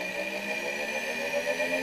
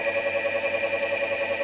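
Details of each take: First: Solectria electric motor and drive in gear, with the encoder board being adjusted by ear without an oscilloscope: a smooth electric whir whose steady tones climb as the motor spins up under throttle. If misaligned, it stops and the drive shows an error. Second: Electric drive motor (Solectria encoder board) spinning in gear on light throttle after encoder adjustment by ear: clean, steady whine with gentle even pulse, no roughness or buzz; normal.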